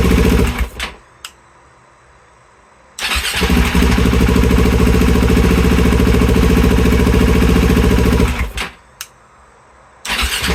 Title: 2020 KTM 690 hard start